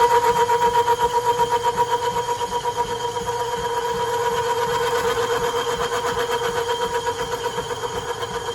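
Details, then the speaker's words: Cast iron pulley being bored on a lineshaft-driven machine shop lathe with a small tool holder, to fit an 1870s thickness planer: steady chattering cut about four ticks a second that pauses mid-pass where the tool crosses a hollow inside the casting. "there's a bit of a hollow on the inside of the casting I'm not sure why that is maybe it was for a set screw but you basically have surface surface and then a hollow so that's why you hear it stop in the middle"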